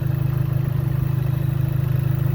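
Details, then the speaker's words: Dodge Neon SRT-4 petrol engine idling: low-pitched, fast, even ticking from the top end, located right above cylinder one; owner says it's likely the ignition coils. "that low-pitched ticking sound that you hear that's vicious the ignition coils"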